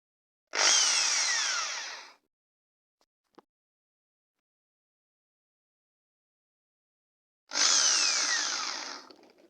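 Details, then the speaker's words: Makita 6413 drill tested after repair (new 627 bearing fitted, carbon brushes changed): two short bursts of high steady motor whine spinning up and coasting down cleanly, no grinding; the drill runs normally. "I'm going to test this drill I already put [Music] Power now this Dr good working"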